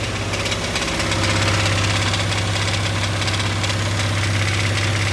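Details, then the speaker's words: Dodge Dakota 5.9L 360 Magnum V8 idling unloaded in park/neutral makes a fast light ticking and clatter, about three ticks a second, that goes away on the gas; top-end tick, cause not yet found. "so it's making some kind of noise and it only does it when it's unloaded if you're on the gas the noise goes away"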